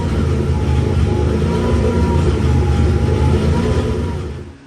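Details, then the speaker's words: 1992 Nissan 300ZX, naturally aspirated engine on a twin-turbo ECU, untuned, 91 octane, first start; idle swells and drops in a slow cycle before cutting off; hunting idle, owner suspects very rich running, idles steady on NA ECU. "All right, there you go, guys. So it runs all right. It just it idles up and down like that."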